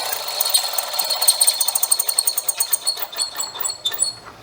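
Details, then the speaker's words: Hollow chisel mortiser after adjusting the bit clearance inside the chisel; a light, even ticking of about six per second sounds over a high motor hum with no screaming, showing the bit runs free and is correctly set rather than rubbing and overheating. "and actually that sounds pretty good that little ticking that's not enough but if it was screaming right there you would feel this right here"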